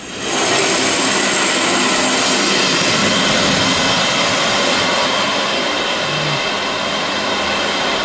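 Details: Test valve (ball valve) opened for flow testing on a fire sprinkler system with the Firetrol-controlled diesel fire pump turned off and the jockey pump running: sudden loud, steady rushing hiss of normal water discharge, pressure dropping, alarm triggering.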